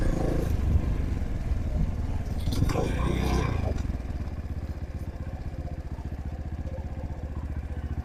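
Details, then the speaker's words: Trailmaster TM31 dirt bike, roughly 223 cc single-cylinder: low uneven idle with irregular beats after some clatter; rough unstable idle from carb not dialed in. "usually with the other car unless you drill that out like I showed you uh you're going to have complications as far as it idling just like this is right now"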